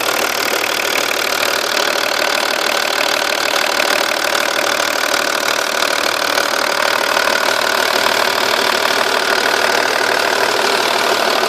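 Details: 2.5 V6 TDI diesel at steady idle: quick, even ticking about three or four a second, loudest from the car's sides, from underneath seemingly rear of engine, passenger side; cams replaced previously; exhaust gasket suspected but unconfirmed.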